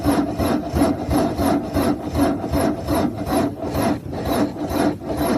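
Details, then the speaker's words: Car with a bad battery: slow dragging crank under three turns a second, labouring, engine never catching. "so uh listen to this uh battery problem if yoka has a bad battery you will have you'll hear this sound when uh trying to what to to start"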